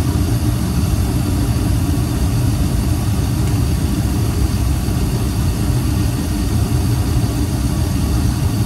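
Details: Rusted gas pack unit being checked for a cracked heat exchanger, listening outside after ignition: steady low roar from the lit burner with the blower running, no pulsing; heat-exchanger leak suspected but not clear.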